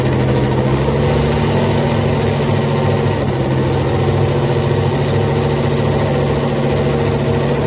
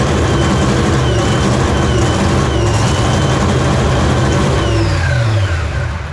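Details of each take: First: Freaky Tiki Hemi Cuda funny car, first fire-up after a 3-year build, not yet on nitro, after an earlier ignition problem with the mags: deep, loud, steady lumpy idle with no stumbles; sounded great. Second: Nitro funny car Hemi, first fire-up on gasoline with air wide open: heavy cranking with ragged attempts to fire that never catch cleanly; an ignition problem, so the mags were shut off.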